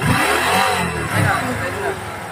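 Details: Honda CT125 with sidecar, throttle blips producing a loud speaker-like droning whine, turbo-like, rising and falling with revs; suspected engine bearing, unconfirmed; starter dead, weak battery; clutch lining among parts replaced.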